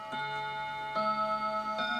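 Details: Old clock striking ten o'clock, after cleaning the clutch: a series of clear, evenly spaced bell-like chimes with a long ring-off, a normal, healthy hour strike.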